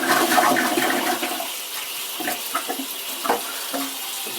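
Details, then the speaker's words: Original brass ball-cock cistern on a working chain-pull toilet from around 1870, quieter than many: rushing flush water tails off into gurgling and a steady trickle as the cistern refills; normal flush and refill. "you can hear the water coming in to refill it."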